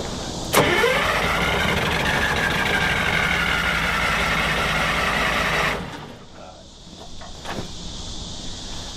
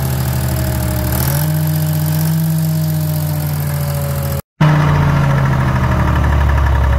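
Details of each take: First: Drott excavator diesel that sat 15 years cranks steadily at about four beats a second for five seconds without catching. Stop and throttle are on separate cables and the kill seems broken; cause suspected, not confirmed. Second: Detroit diesel in a DROTT excavator that sat about 15 years: settles into a steady low rumble, then revs and drops back smoothly with no knocks or misses; the engine runs healthy.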